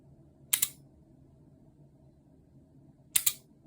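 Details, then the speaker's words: Mercedes-Benz W113 (230SL/250SL/280SL) wiper relay after fixing poor contact at the receiving-side terminal clip: two crisp double clicks about 2.5 seconds apart; seesaw contacts switching cleanly, relay working properly. "It's working properly."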